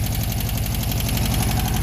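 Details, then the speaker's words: VW Beetle air-cooled flat-four idling, owner suspects a rebuilt engine, still burning off bad gas: smooth and even on all four cylinders, with a light, quick ticking on top, mild valve clatter. "it's got a little bit of valve clatter and we're still poping fuel out runs pretty darn good"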